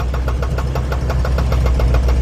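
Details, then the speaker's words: 1948 Ford F5 flatbed, Mercury 256 flathead V8 with valve issues, on old gas: sharp, regular knock about eight per second over a lumpy idle; unchanged with clutch pressed, so owner thinks it is not clutch related; cause unknown. "Sounds like it's somewhere over here, so I'm kind of thinking it's not clutch related, because I pushed the clutch in and it doesn't do anything."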